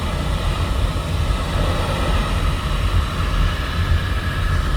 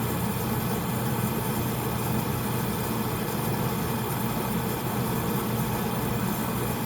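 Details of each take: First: Home oil-fired boiler burner restarted after running out of oil, refilled and fuel line bled: deep, steady roar with low rumble, no surging or pulsing; burner lit and firing evenly. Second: Home oil furnace burner after running out of oil, before bleeding the line: burner motor and fan drone steadily but no flame catches; air in the fuel line keeps it from lighting, so it is stopped to bleed.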